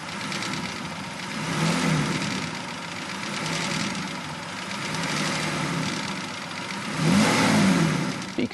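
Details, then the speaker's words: Aston Martin V12, recorded underneath while lightly revving: dull rhythmic knock quickening with engine speed; onset of big end bearing failure, engine needs a complete rebuild. "next clip we're underneath a v12 engine and just lightly revving it up and this is the onset of that big m bearing failure"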